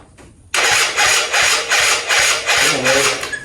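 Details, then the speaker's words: 2005 Yamaha Zuma two-stroke scooter with a cheap big bore kit (China cylinder and piston, Polini head), after swapping the fuel lines. Starter churns in uneven surges about three a second and it nearly catches. Cranks but won't start; owner suspects fuel delivery. "I think it was a fuel delivery issue. Let's see what happens."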